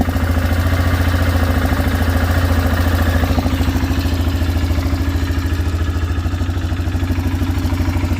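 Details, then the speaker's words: 2006 Arctic Cat 400 4x4 quad, started with a shot of ether. The carburetor looks brand new, possibly a replacement or Chinese unit, and it blew black smoke when revved. Air filter dirty, no oil-burning smell. Uneven, loping single-cylinder idle with clatter: rough idle from the carburetor. "I was having carburetor was doing weird stuff, and you saw when I revved it was blowing black smoke, so something going on with it."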